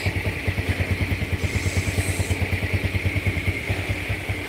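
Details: Yamaha Jupiter Z fully restored after crashing into a truck: small single idles with a steady, even putter about two beats a second, no knocks or rattles; sounds healthy.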